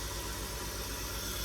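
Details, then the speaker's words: 2003 BMW 325xi (E46) first start after installing a new fuel injector: steady even idle, smooth low pulse with constant airy hiss, airflow sensor reading erratic, no leaks seen; normal idle. "So it is running. It doesn't sound like it's running."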